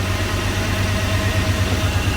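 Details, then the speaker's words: OBS crew cab truck sitting for years, first run, oil pressure good, warming: idle beats unevenly with lumpy stumbling thump every few beats, engine shaking; rough idle misfire on at least one cylinder. "I mean, other than that misfire, whatever's making it shake that bad, it seems healthy. Like, it sounds healthy, right?"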